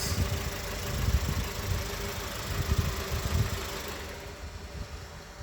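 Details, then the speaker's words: VW Polo Vivo 1.4 CLP engine after full rebuild to cure a bad noise: low, fairly even idle rumble with soft pulses and no sharp metallic knocking; now idling normally. "So now car is idling normally. 1.4 I CLP engine."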